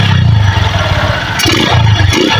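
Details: Honda Megapro Primus single with severe misfiring/stumbling complaint, during carburetor idle-mixture screw adjustment from 1.75 turns out: lumpy, uneven idle with heavy low thumping and brief stumbles; still rough, improved but not settled.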